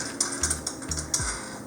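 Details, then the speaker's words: Autohelm boat autopilot drive unit: short whirring motor bursts with gritty grinding through the plastic planetary gears, caused by a loose screw caught in the gears, with gear wear and dust found. "That way we can get this case off, but yeah, you can hear the grinding and stuff."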